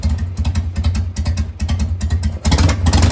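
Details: 2000 Harley-Davidson Sportster XL 883 after replacing faulty ignition module and reconnecting coil plug wires: lumpy uneven V-twin idle, then firm throttle blip rising and falling cleanly; normal start and revving, ignition working.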